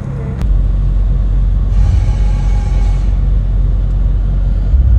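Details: 2003 Acura MDX Touring started with a newly installed JDI push-button start kit: catches almost at once and settles into a steady, even low rumble, no misses or knocks; normal start and idle.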